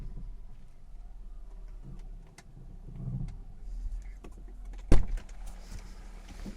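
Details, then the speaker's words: BMW E46 320i, 1999: low groaning creaks swell while steering left or right, worst turning left, with one sharp clunk, from dry front suspension bushings or boots. Injecting oil into the rubber boots at the wheel made the noise disappear. "I have noises from a week when I turning to left or right, but especially when I turning to left."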